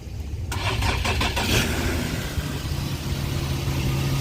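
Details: 2013 Infiniti G37 after alternator replacement, belt, fans, coolant reservoir and battery reinstalled: brief starter cranking, then the engine catches quickly and settles into a steady, even idle; clean normal start.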